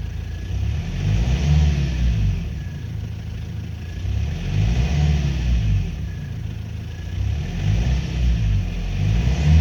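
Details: 2005 Renault Trafic 1.9 dCi diesel revved up and down in slow swells: a dull, irregular knock rides the low rumble as revs climb; cause not confirmed; engine knock when revving.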